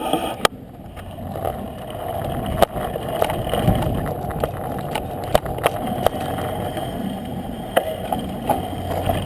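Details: Jamis Trail X2 bicycle front disc brake applied: rough uneven rubbing drone with irregular clicks about three a second, unlike the smooth rear brake.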